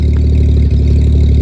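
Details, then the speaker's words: IH L-130 truck with straight-pipe exhaust: loud, deep idle with a lumpy, slightly uneven beat; owner unsure whether it is a misfire or just the straight pipe. Uneven idle. "you can kind of hear it almost sounds like it's like it's misfiring that could be because a straight pipe or maybe because it is misfiring I don't know"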